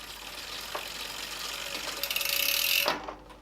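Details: Bicycle disc brake rotor rubbing a misaligned caliper as the wheel spins: faint scraping hiss with a thin high squeal plus freehub clicks; caliper needs setting up correctly.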